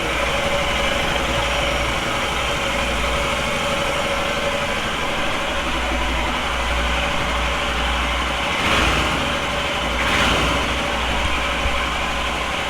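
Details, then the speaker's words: Royal Enfield Himalayan single after a TEC camshaft install: steady idle thump with a constant beat and no hunting; idle rpm far more stable than before, which the owner attributes to the missing decompressor. "another thing that I can see as a difference is that the idling RPM is way more stable than it used to be"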